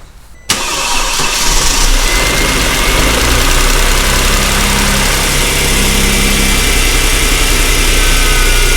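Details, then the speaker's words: 2008 Mercedes CLK350, 129k miles, formerly seized engine, broken vacuum lines, no coolant: starter whirs, engine fires and settles into smooth steady idle with no knocking or tapping; runs surprisingly well. "Actually, I'm surprised. It runs very smooth, to be honest. There is no any knock sounds."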